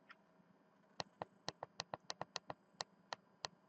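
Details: Rockford Fosgate RFX9200 car radio after resoldering a faceplate button: crisp, sharp single clicks, about a dozen in a few seconds, each clean and distinct; the repaired button now switches properly.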